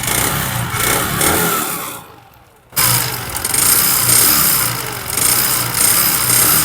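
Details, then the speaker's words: Bajaj Discover 110cc with heavy white smoke, oil in the silencer, engine oil ran low twice; rough rattly revving with dull tapping "tak" sound under the exhaust, mechanic suspects seized, scored piston slapping. "देख लीजिए engine में किस तरह टक का sound आ रहा है। Bike काफी ज्यादा वाइट स्मोक दे रहा है।"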